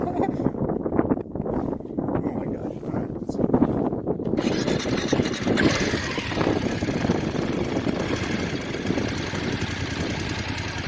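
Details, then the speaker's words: BMW F850GS motorcycle twin idling with a light, fast ticking over its steady beat, owner says louder after topping up low oil; has always ticked since about 1,500 miles, previously told valves were noisy, seeking warranty engine replacement. "i found it was thirsty i topped it up and it started to make a clicking noise that seemed to be louder after adding the oil"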